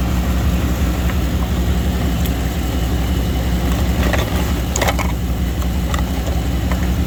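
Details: 2000 Chevy Tahoe Limited Vortec 350 after replacing the corroded distributor cap that caused crossfire and no-start: low, even idle with a steady rumble and no misses, stumbles or knocks; normal idle.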